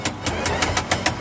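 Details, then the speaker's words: Electric four-wheel vehicle about a year old, noise near the motor while driving; wheel jacked up, no-load spin gives sharp evenly spaced knocks about seven per second, same on both sides; suspected damaged bearing or gear in motor or differential, not confirmed. "这台车行驶的时候，大概就是电机这个位置有异响，我们听一下。"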